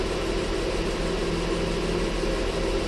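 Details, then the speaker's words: Ford Flex 3.5 after water pump and timing component replacement (fixing oil leak, coolant loss, P0016), idling close to an hour at operating temperature; fans cycle, no leaks, no codes; steady even idle hum, no ticking, knocking or misses; normal idle. "Okay, it's been running now for close to 40 minutes, pushing an hour. Been just letting it sit here idle. Just came up to operating temperature a few times, fans kick on, pulls back down, everything's circulating good."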